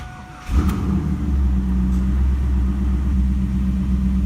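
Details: LS1 Camaro after knock sensor replacement for P0327/P0332: the engine starts and holds a steady, deep V8 idle with an even rumble and no ticking or knock, the speed settling slightly. It sounds healthy; the check engine light is still on, to be cleared.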